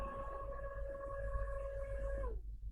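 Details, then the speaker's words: HP PS-4241-1HD power supply fan after lubricating with Loctite multi-spray, run on a bench supply: steady, clean even-pitch hum with no rattle or scraping, then a smooth spin-down; formerly seized fan now fast and smooth. "fast and smooth."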